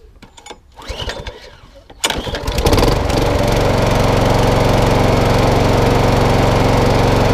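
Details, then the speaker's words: Mower with a Quantum engine, carburetor cleaned, partly dismantled, with a failed dead man's handle cable: a couple of pulls, then it catches and settles into a steady, even drone with no misses; engine runs fine but needs more attention. "All running. It just wants a bit, and again, it wants a bit more love and attention on it."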